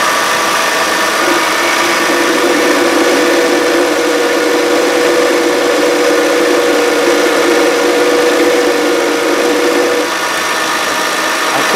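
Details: 2013 Kia Sorento AWD 3.5 L V6, just under 80,000 miles, at idle: loud continuous droning groan with a steady mid-pitched tone from the idler pulley. The tensioner is quiet by comparison, pointing to a worn idler pulley bearing.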